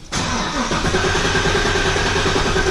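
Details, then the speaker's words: Leroy's car with a stock GM bottom end: long starter whirring before the engine catches and idles. The rear fuel pump leaks down, leaving air in the lines, so it always takes a while to start. "The fuel pump in the back leaks down, so there's a bunch of air in the lines. It takes a second for it to start."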